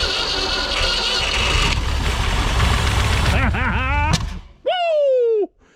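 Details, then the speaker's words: 1973 Mercury Comet GT, 302 V8 with 3-speed, first start attempt after about 35 years sitting: rough churning crank, then a single sharp bang through intake or exhaust, a backfire of unknown cause; smoke possibly Marvel Mystery Oil burning off. "what would have caused that baby to backfire like that you know why it's smoking because all that marble mystery oil in there yeah i know that maybe it's just finally burning it off"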